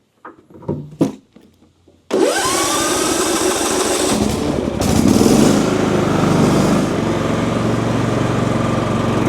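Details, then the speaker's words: 20+ year old John Deere L110 lawn tractor, outdoors: some clunks, then engine catches and settles into steady, even run with no misses; ran great, nothing weird. "That tractor ran great. I had zero issues. Nothing weird was happening."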